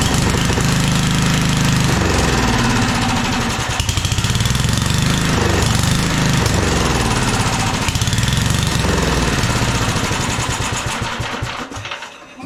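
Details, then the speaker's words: 1997 Craftsman II rear-engine rider, 13.5 hp Tecumseh, long-stored with mouse nest, first start on gas sprinkled into carb, neutral, blade off: starter churns unevenly a few seconds, then catches into a rough but steady run. "bit more of a mous mess than I thought but it runs seem to like choke"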